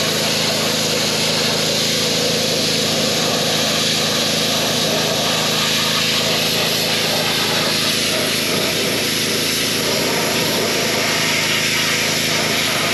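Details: Pressure washer with replacement pump (4-bolt, 3/4 inch shaft): loud steady engine drone with high spray hiss holding even throughout; running normally after the repair.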